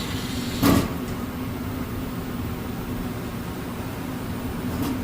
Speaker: So this unit, the blower motor don't shut out, right? Yeah. So I'm gonna turn this off, see what happens. Kick right back on. Yes, so the unit is off. Standing auto, still got blower motor.